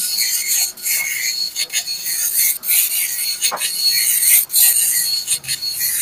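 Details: Epson LQ-2190 dot matrix printer after repair, formerly beeping alarm with no movement: raspy high buzzing passes about once a second with short pauses, line-by-line printing running smoothly; normal.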